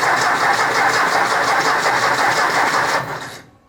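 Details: 1964 Ford 4000 Rowcrop diesel after rebuild, first start, out of gear, throttle slightly open: steady starter churn with even compression pulses about three per second, no firing, then stops; air in the injector lines.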